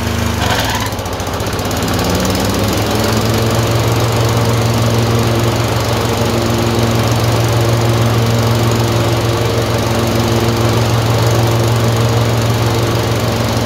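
Twin-cylinder engine running with a steady low drone that hunts slightly, an uneven beat hinting at misfires shifting between cylinders.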